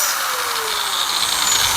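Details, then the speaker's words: Angle grinder before repair, vibrating; the customer says cuts drift 5–10 mm: loud, harsh, gritty high-pitched whir whose pitch sags under load. The finding is a worn gearhead bearing. "आप लोग देख सकते हैं कितना काफी इसका आवाज है और चल रहा है तो कंपन भी कर रहा है"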